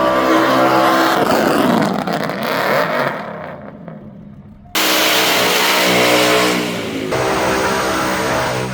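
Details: Chevrolet LS 403 ci (6.0 L stroker) V8 with stroker crank, Scat rods and possibly Mahle pistons in an honed-out block, running: strong revs climb and fall cleanly with crisp throttle response, no knock or miss, normal running.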